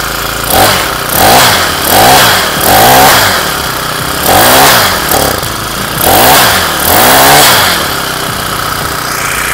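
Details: Honda GX35 brush-cutter four-stroke just rebuilt with a new cylinder liner and new piston rings, petrol, warming up: repeated rev blips rising and falling cleanly about every second, then a steady idle. It runs healthy.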